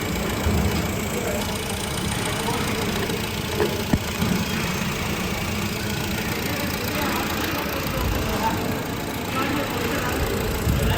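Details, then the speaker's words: 2013 Honda Civic idling after water pump replacement: steady, even idle with a smooth low hum and no knocking, whining or squealing. Engine healthy, no check engine light, no overheating. "गाड़ी हमारी बिल्कुल okay है किसी किस्म की कोई problem वगैरह नहीं है कोई भी चेक इंजन नहीं और ना ही ओवरहीट हो रही है"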